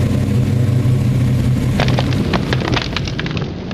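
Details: 1992 Ford Mustang LX hatchback, 347 stroker, after fuel pump replacement for a fuel delivery issue; deep, strong rumble holding steady then easing off, no misses or knocks; starts and runs normally.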